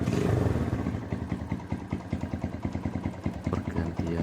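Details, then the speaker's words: Honda GL Max single-cylinder after fixing a slack cam chain with timing jumped about two teeth, oil now flowing to head: steady even putter at idle with no top-end rattle; normal idle after repair. "gus untuk suaranya sudah sedikit halus sudah enak. tidak kasar seperti tadi lagi."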